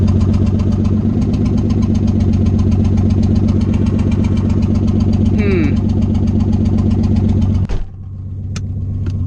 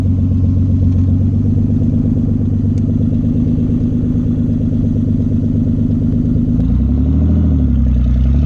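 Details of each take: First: Nissan 300ZX idling loud with no exhaust (open headers), already fighting a bad misfire the owner blames on loose connectors; steady pulse with an occasional uneven putt, owner unsure if it's another misfire, intermittent at idle; engine then shuts off. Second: Nissan 300ZX back running: loud, steady engine with an even beat and deep exhaust rumble, pitch easing near the end. No misfire at this moment, though an intermittent putt-putt sound, possibly another misfire, occurs at other times.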